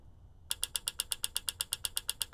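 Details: Bad EVAP purge valve solenoid (P0442) clicking sharply about eight or nine times a second, activated via XTOOL D8 bidirectional duty-cycle test on a 360 front-wheel-drive car; confirmed faulty by resistance and vacuum test, replaced.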